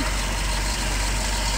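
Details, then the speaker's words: 1967 Citroen DS 21 Pallas, 2.1 four-cylinder idling, heard under the bonnet, starts well hot or cold, no overheating: smooth, even low rumble with no knocks or misses, suspension pump occasionally cycling; normal idle. "little 2 point uh 2.1 engine four-cylinder doing what it should you can also hear the suspension pump occasionally kicking in and [Music] out but uh just does what it's supposed to do"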